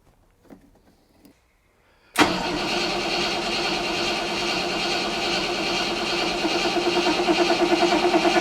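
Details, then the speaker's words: 40,000-mile Rover SD1 Vitesse V8 barn find, stored since 1999: steady churning crank drone that never catches; fuel starvation suspected. Cranks but won't start. "well we've wheeled it out i still haven't got it to fire and i think it's a fuel starvation issue"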